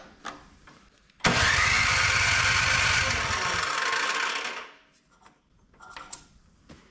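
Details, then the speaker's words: Older Craftsman MTD-built snow blower left at the curb with broken pull cord and no oil; about three seconds of rapid pull-start cranking with no firing, then silence; fuel smell, good spark and plug. "Well, if it was going to fire, I think it would have fired by now."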